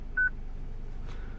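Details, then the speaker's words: 2006 Citroen C3 petrol with replaced used radio: short high single beeps about every 1.3 seconds, radio security active from VIN mismatch; beeping stops after programming BSI VIN into radio. "And now we press configuration, and I think my beep should go away straight away, as you can probably still hear the beep."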